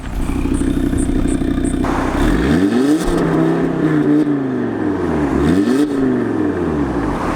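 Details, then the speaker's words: Audi RS3 2.5 L five-cylinder revving properly: clean rising and falling revs, pitch climbing smoothly with each blip, no knocks or rattles; normal, healthy engine pulling freely. "for a 2.5 L 5 cylinder engine that's pretty stoning good right now have more driving"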